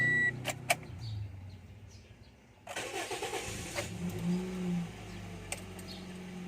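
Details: 2014 Toyota Vios, hard-starting problem on first attempt: starter churns about a second before the engine catches and settles to a rough idle; slow to fire.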